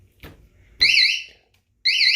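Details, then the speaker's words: Cheap eBay motorcycle alarm, advertised around 500 dB, just installed: two loud, shrill warbling siren bursts about a second long, sweeping up and down; the alarm works and is loud enough for a parking lot. "yeah it's definitely loud enough to hear easily out in a parking lot it's loud it's definitely loud"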